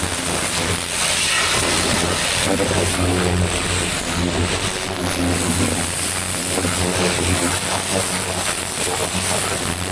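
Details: Vintage David Brown 990 diesel tractor, revived after 20+ years abandoned, clutch freed: steady even chug with drone, no knocks or misses; running sweetly, engine seems in good condition.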